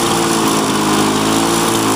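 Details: 2001 Lawn-Boy DuraForce self-propelled two-stroke mower after a new ignition coil, fuel system cleaning and carb rebuild, held at high speed: steady, even buzz with no misses or surging. It runs clean and healthy.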